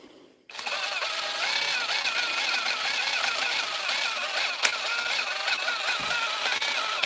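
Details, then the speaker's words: DeWalt impact driver running free for about six seconds: rough, warbling high-pitched whir with a rattle; not how it should sound, owner thinks the fault isn't serious, cause not yet found before opening it. "That's not how it's supposed to sound. So, we're going to get it open. It's not a serious complaint that's wrong with this. It's um this impact driver is like my guitar playing. It sounds worse than it is."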